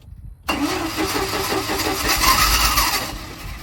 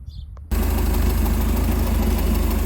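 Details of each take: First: 1987 Bayliner Capri boat converted from carburetor to Holley Super Sniper 2300 EFI: three long cranking bursts of about three seconds with pauses, never catching; no-start because the wrong Super Sniper unit was selected in the setup wizard. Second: 1987 Bayliner Capri, converted to Holley Super Sniper 2300 EFI, first run after setup: steady, evenly spaced low thump with no misses, idling where it should in open loop without oxygen sensor; idle position possibly a little low.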